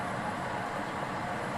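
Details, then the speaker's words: Ceiling fan after being opened, bearings oiled and greased and reassembled: steady, even hush with no ticking, scraping or rising whine over room noise; fan now runs smoothly with no noise. "এইটো চাওক বৰ্তমান ফেনখন কোনো আৱাজ নাই, কোনো অসুবিধা নকৰিব।"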